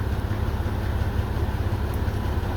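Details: 2001 Mazda 626 2.5L after replacing dead injector: low steady idle, even beat, no misses; short-term fuel trim bank 1 6 to 15 versus +30 lean before; normal idle.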